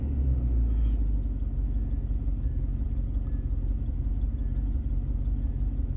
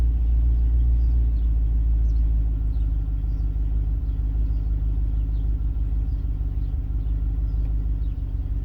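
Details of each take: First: 1994 Range Rover V8 after fuel and EFI repairs, throttle untouched at correct position: deep idle with uneven, wandering beat, less stable and lumpy; owner suspects airflow meter, plans to clean it; cause unconfirmed. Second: 1994 Range Rover V8 running on a customer's ECU with different fuelling pattern after airflow meter work: deep, steady idle rumble with even beat, no stumbles or hunting; much smoother though meter reading still dancing.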